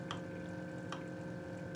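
Soft, sharp ticks about every 0.8 seconds over a steady motor hum; the egg-turning cradle is working normally.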